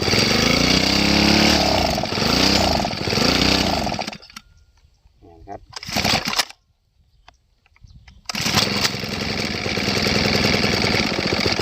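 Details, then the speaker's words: Two-stroke grass trimmer run until its tank was empty, then refueled, leaving air in the fuel system: surges and sags on throttle blips, cuts out when accelerated, then settles into a steady buzzing run as fuel is gradually purged. "เวลาเราเร่งไปมันดับนะครับเพราะว่ามันมีอากาศในระบบมันนะครับมันก็จะทำให้ให้ช่วงที่มีอากาศมันก็จะไม่น้ำมันก็จะไม่จ่ายเข้าก็เล็กไม่ขึ้นนะครับ"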